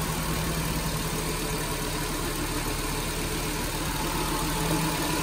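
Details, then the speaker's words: Nissan Grand Livina idling after alternator bearing replacement, microphone at open bonnet: steady even smooth hum, no rough noise or ticking; rough sound fixed. "Tidak ada suara kasar dan tidak ada suara gelitik ya. Tidak ada juga suara gelitik."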